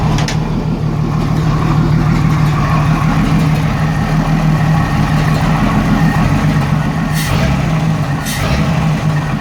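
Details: 1987 Jeep Cherokee Renix 4.0: uneven, loping idle with a one-cylinder miss. Cylinder 6 exhaust rocker moved less than the others; owner blames a sticking valve or bad lifter, and loosening the rocker bolt made it run smooth.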